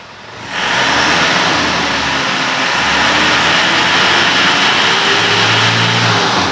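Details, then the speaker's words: 2009 Isuzu Panther Grand Touring diesel, before carbon-cleaning tuning, owner's complaint of heavy, slow pull: when the throttle is pressed, the note builds heavily and revs drag up slowly instead of climbing crisply; sluggish throttle response. "kalau yang Innova tadi ngempos kita inkjet sudah setengah lebih dia lambat naik"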